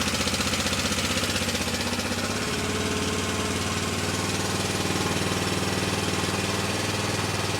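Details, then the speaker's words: Early-2000s (about 2003) Honda Rincon 650 ATV bought as a parts machine, idling with an uneven loud clattering rattle getting louder; suspected timing chain, possibly valve adjustment, before top-end teardown. "To me, when I first heard it, it sounded like a timing chain. So, it could be the timing chain."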